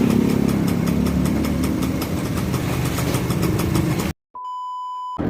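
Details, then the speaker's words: Yamaha V80 two-stroke after replacing the original spool (owner's fix for stalling and stuttering while riding, running only on choke): steady, quick even idle with no stumbling or cutting out; normal idle. "Nah, itu video setelah si Thomas penggantian spool jalannya ya."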